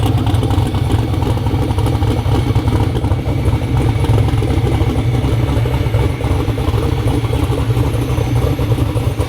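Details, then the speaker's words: Twin-turbo Black Sheep V8 street car on its first startup after the build: deep, loping, choppy big-cam idle, strong and even with no knocks or misses, sounds healthy. "ain't no mod motors that thing sounds healthy it does good for the first startup"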